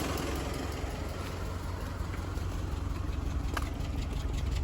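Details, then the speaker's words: Mitsubishi Triton running on gas: misfire and rough idle, stumbling exhaust puffing about three beats a second, hesitates pulling off in 1st and 2nd; a faulty injector suspected, injectors removed for cleaning and testing. "เครื่องยนต์สั่นนะสะดุดอันนี้เข้าแก๊สแล้วสั่นมากเลยฟังเสียงท่อ"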